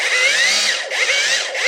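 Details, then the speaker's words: Parkside Performance 20V cordless drill from a lot of faulty tools, run on an old 2Ah battery; high whirring whine wavering and surging in pitch every second or so; runs but makes odd noises, needs a good overhaul; abnormal running noise. "il fait des bruits bizarres on tourner il aura besoin d'une bonne révision"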